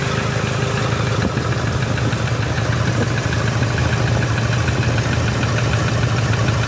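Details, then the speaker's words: 2007 Toyota Hilux 3.0 diesel at idle: rough, fairly regular knock about three per second over the clatter; first thought a connecting rod, teardown found the fourth-cylinder piston melted and head burnt: piston knock. "lá o quarto pistão ó derreteu mesmo batida era pistão hein aqui suspeitado não barulho é muito parecido os outros aqui"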